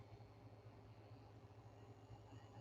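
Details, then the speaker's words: Sony Aibo ERS-210 robot dog head repair: a servo motor just revived runs with a low steady drone and faint rapid chatter, rougher than expected. Unsure whether this is normal, no reference servo to compare. "Hmm. That is interesting. I didn't know they're supposed to sound like that because I don't have a random servo on here with me."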